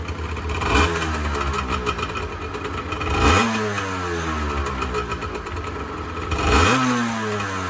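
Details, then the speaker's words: 1986 Honda NS400R 400cc two-stroke triple, first start after 11 months sitting: crisp blips up sharply three times, dropping cleanly to a steady idle; healthy, though the oil light stays on (owner suspects the oil tank level-sensor connection). "for 11 months I can't really complain about that"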